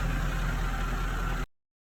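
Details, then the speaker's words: 2008 Mercedes C63 AMG after repair of hydrolocked engine, parked almost a year, on fresh petrol; smooth, even low idle with steady deep hum and no knocking or tapping: engine healthy. "We haven't cleaned it obviously or anything like that, but the important thing is the engine running very sweet, as you can hear."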